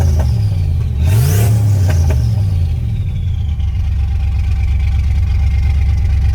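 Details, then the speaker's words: 1989 turbo Ford Fox Body Mustang after a Melling high-volume oil pump install, not yet warmed up, oil pressure down to about 30: engine blips then settles into a lumpy, stumbling low idle as if missing; cause unknown, owner suspects an engine problem. "it sounds awful strange though right now feels like it's missing"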